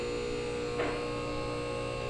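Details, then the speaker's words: Max Jax portable 2-post lift, newly installed, dry run to the top after bleeding air out (earlier hissing from air now gone): steady electric motor buzz and smooth pump whir, no sputter or air hiss; normal hydraulic power unit run. "apparently that's the top okay dry run success it's been bled"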